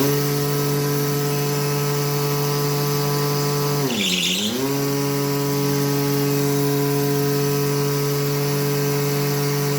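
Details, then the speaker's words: Mitsubishi L200 alternator with vacuum/oil pump, bench-tested after cleaning debris, refitting diode bridge and regulator and replacing seals: steady hum that sags briefly under load and recovers; charging 15.2–15.4 V, working well; seal leak still to check on vehicle. "Генератор айтқандай 15-те 2, 15-те 4 зарядка беріп тұр. Өте жақсы жұмыс жасап тұр."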